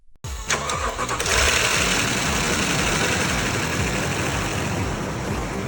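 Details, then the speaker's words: 2008 Lexus LX570 V8 started after a full engine teardown and rebuild. Quick crank, a clean catch and flare, then an even settled idle with no knocks or ticking; runs perfectly. "Runs perfectly."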